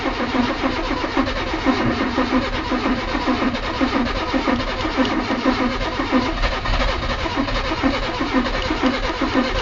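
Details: Engine cranking after a new carburettor was fitted, choked with a couple of pumps: the starter churns steadily but it never fires; the new condenser was faulty, and the old one worked.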